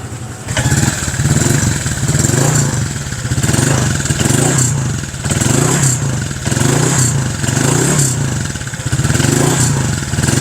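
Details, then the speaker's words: Honda Click 150 fitted with MTK block kit and MTRT exhaust (carbon heat guard, titanium tip), 784 km into break-in: a crisp start, then clean throttle blips with a deep, even exhaust note and no knocks or rattles, healthy. "So, sound check na rin tayo dito sa tambucho natin para may idea kayo kung ano yung tunog ng MTRT."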